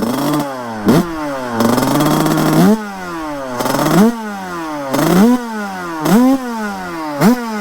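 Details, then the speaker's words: Beta 100cc two-stroke supermoto with Mikuni 34 cross carburetor, warmed up, after jetting changes: throttle blips climb and fall back to a lumpy, burbling idle that never settles; running rich, smoking, idle still unadjusted. "ça le ralenti est encore à régler il y a pas mal de choses à revoir les gars"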